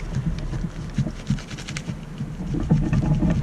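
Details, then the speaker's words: 2001 Lexus ES300 rear suspension over small bumps: dull, uneven low thumps about three a second, a rumbling clunk from a worn rear sway bar bushing with play. "this car makes this type of noise and this is caused by this bad sway bar bushing right here"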